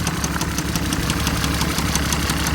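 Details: 2012 Mercedes ML, listed as a no-start, now running: a steady, even knock of about six per second over a rough idle, with no smoke and not getting worse. A severe engine issue is suspected but not confirmed.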